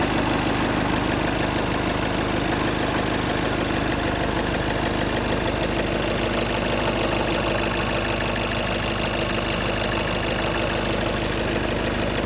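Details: Škoda 2.0 TDI diesel at idle: fairly regular knock about three per second over the usual clatter; engine knock of unclear source.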